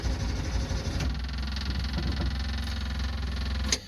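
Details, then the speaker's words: Two-stroke van being primed before startup after storage, low on fuel. Rapid, steady clicking/knocking from the electric fuel pump working hard without settling means fuel starvation; fuel is being added. "whenever I hear an electric he'll pop knocking like that it means struggling to get fuel so let's see if we can fill this thing up a little bit"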